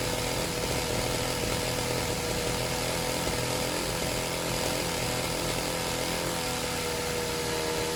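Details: Serviced pit bike / mini moto two-stroke being set to idle on its own; loud, steady buzzy drone at even speed without stumbling or misfiring; slightly smoky; normal running.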